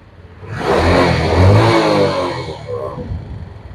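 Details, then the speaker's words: Yamaha Jupiter Z motorcycle, heavy smoke even at idle, oil used up within two weeks: short rev with a rattle that gets louder as throttle opens; piston slap from a scored piston and worn bore, connecting rod also to be checked. "nah seperti itu suaranya suaranya itu pokoknya berderik sekali Berisik suara seperti itu ketika ditarik gas seperti ini semakin keras kita menarik gas suara pederiknya semakin keras juga jadi tambah berisik mesinnya"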